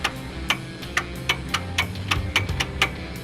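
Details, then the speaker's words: Key fob wireless controller for air-bagged suspension on rat rod dually, powered by temporary hot wire from fuse box: sharp dry relay clicks about three per second, partly from dash switches; relays switching properly. "granted, part of that you're hearing is I'm working the dash switches, but that means my relays are right."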